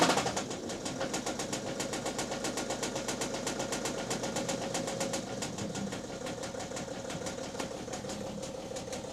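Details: BMW diesel engine with knocking: starts and settles into a fast, fairly uneven ticking knock about four per second over idle; cause undetermined, unclear whether fixable.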